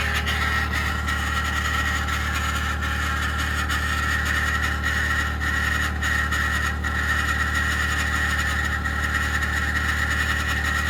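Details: 2021 Ford F150 PowerBoost remote cold start at -16°C: loud constant gritty whirr with high edge over steady idle, after a click; happens only below about -11°C, quiets after ~10 minutes; owner suspects something pumping, relay suspected, not confirmed.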